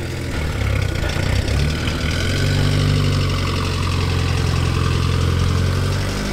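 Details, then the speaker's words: Low, steady, even idle during a winter warm-up in snow, without cutting out or hunting. "do you want to push the choke all the way and then just see if it idles okay now is that all the way in now is it yeah because before it was cutting out but I think it's okay now"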